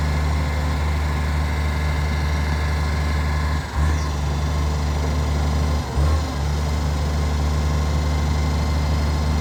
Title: Ryde Recycling SL757 - Exhaust Leak ￼